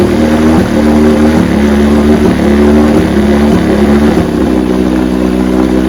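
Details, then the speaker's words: 1968 Evinrude 9.5 HP two-stroke outboard, restore, running in neutral with weak cooling water flow; steady mid pitch that steps and wavers unevenly, slightly rough, won't restart warm without choke; weak coil dropping spark. "it ought to just start right up I had to choke it for it to start that's not right"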